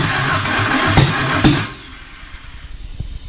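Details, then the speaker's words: Nissan S13 SR20DE engine on the floor with push-button start: cranks with two sharp pops trying to catch, then stops; ignition firing at the wrong time, crank angle sensor timing later recalibrated. "to go but it's firing at the wrong time"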